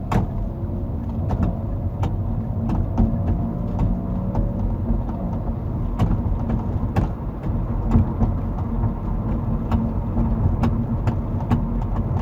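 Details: 2019 Kia ProCeed GT driving on uneven road: sharp irregular clicks and taps from the trunk over road rumble, with or without rail system, loose tailgate lock rattle; adjusting the tailgate rubber bumpers stopped it, then the lock was replaced.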